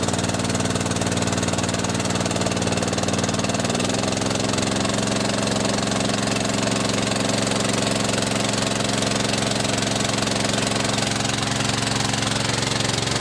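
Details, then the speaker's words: Bushfire pump small petrol engine after carburetor replacement, fuel on, running on choke, pump recirculating to tank: runs fast and steady, note shifting down slightly after a few seconds then holding even. "first thing first open this yep bleed the air out the pump fuel on so fuel on choke on"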